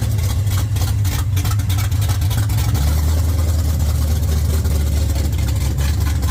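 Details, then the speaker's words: 1979 Mustang coupe with 5.0 V8 swap, first start on open headers burning off coating: deep loud burble holding a steady lumpy idle on its own without throttle; engine running fine. "she runs uh without having to hold the throttle or anything like that. It's it's idling. It's going to sound pretty good with an exhaust on it."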